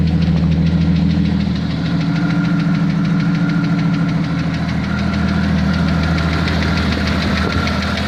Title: Jeep Cherokee 4.0 -92 XJ flexplate bolt, piston slap or what?